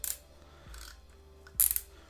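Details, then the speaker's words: Abu Garcia Revo4 X-W-L baitcaster reel after an aftermarket drag clicker and micro bearings were installed: sharp, bright bursts of rapid clicking as line pulls off, crisp and consistent; normal drag clicker operation. "Nice, the sound improved as well. It's quite nice actually, very nice. Very like clicky, awesome."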